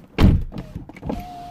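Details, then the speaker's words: 2008 Porsche Boxster S 987, driver window after replacing a bad regulator: door thud, then smooth steady motor hum as the glass drops slightly on close/unlock without grinding; normal power window operation. "so when i close this now the window goes down a little bit as soon as i unlock okay so that's the way it should work"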